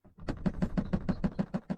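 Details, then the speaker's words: Rapid, even metal-on-metal knocking, about six taps a second, from the rear tailgate of a Honda Odyssey RB1. The latch itself works but rattles, worst with light shaking at low gear while braking near a stop. Fixed by replacing the tailgate latch assembly. "因为尾箱有异响，啪啪啪啪啪的敲击声。"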